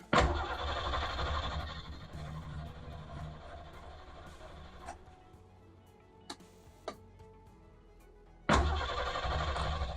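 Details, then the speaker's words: 1989 Isuzu Trooper barn find, fuel pump primed, first start attempt: engine catches, runs roughly about two seconds then dies, catches again on next crank but won't stay running; cause suspected, not confirmed. "Okay, so what I'm noticing it starts, which is phenomenal. Yes, that makes me happy. You can hear it start, but it doesn't want to stay on"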